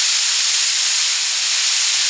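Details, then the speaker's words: Dual-action HVLP spray gun, regulator fully open, first trigger pull giving air only while adjusting air control: steady even high hiss, no sputter or pulsing; normal air flow, roughly 25 psi versus 20 psi recommended. "Okay I open this up and you can hear the air this is a dual action spray gun and what that means is when you pull it one time it's air and then two times is liquid"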